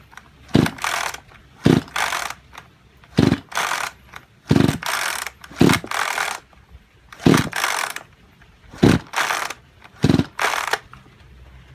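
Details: Junk Kyoritsu chainsaw of unknown condition. Eight slow recoil pulls each give a dry whirring rasp with no pop; it cranks but never fires. Seizure and low compression are suspected, not confirmed, and an overhaul is being considered.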